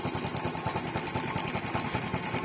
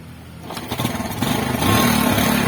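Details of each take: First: Yamaha Spark motorcycle that stalled at idle and stumbled while riding, after fixing the fuel tap (petcock) rather than the carburetor: small single putters at a fast, even idle with steady pulses, no stumbling or dying; normal again. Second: Yamaha Spark motorcycle idling lumpy and surging, won't hold idle and stalls, stumbles when ridden; running too rich from a faulty fuel tap, not the carburettor; fix is bypassing the tap with an inline fuel filter.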